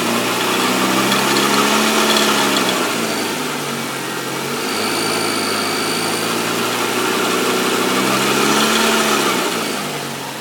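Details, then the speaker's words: 1994 Nissan Altima after engine noise repair, restarted in chilly weather: catches and settles into an even, steady idle with a faint background timing-chain rattle the owner says has always been there; runs normally. "all right and everything seems good you hear there was a little bit of a timing chain noise but that's always been there and i just kind of learned to deal with it"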